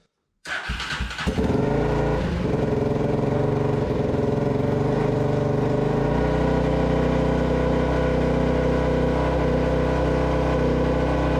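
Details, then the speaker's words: Abandoned Polaris Predator 500 quad being restored, with an aftermarket CDI: starts after a few coughs, then runs fast and uneven with revs hanging high; throttle cable sticking, idle adjustment ineffective, oil line also leaking. "Throttle cable's sticking, but it starts. It's running."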